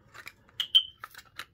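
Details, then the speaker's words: Kidde 9V smoke alarm after a battery change: a few plastic clicks as the battery is pushed in, then one short high chirp showing the alarm is powered and on, which is normal. "push the battery in like that and you can hear it chirped and it's on"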